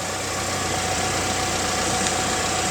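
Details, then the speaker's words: 2017 BMW X1 F48 idling in drive on lift, after re-securing rubber cover/AC drain flap that rubbed the front driveshaft: steady even hum, no flapping, slapping or rubbing underneath; drivetrain normal. "so after re-securing this in place customer concerns with the resolved and there will be no more noise"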